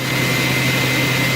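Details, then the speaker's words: Viper Jet 300 amp starter generator on a simulator, not an engine, with a 5-11-0036 Master Control Unit charging Deka ETX30/ETX20 batteries at 97.5 A toward 28.5 V: a steady, even hum with a constant high tone, no surging or dropouts. Normal operation. "Not too bad. And I'm sure you can hear it behind me. It's humming away."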